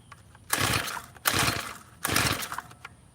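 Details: Tiller small engine during carburetor screw adjustment (carb screw backed out a quarter turn): three quick pull-cord rips, each a whirring spin with no catch or firing; cranks but won't start.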